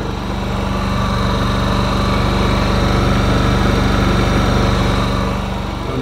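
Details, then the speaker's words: Honda EU7000is generator in Eco mode running a 2-ton air conditioner (with hard start capacitor) plus 5 hp well pump: steady, even hum with faint high whine, holding smoothly under load; healthy. "but I started the 5 horsepower well pump with my 2 ton air conditioner running so this is the level ii 7000 is"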